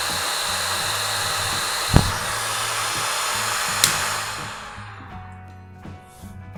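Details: Yihua 878D hot air station handpiece, which has a magnetic cradle switch, after connector fault repair: steady airy fan rush with a couple of switch clicks, then smooth wind-down, no rattle; normal hot air gun fan running.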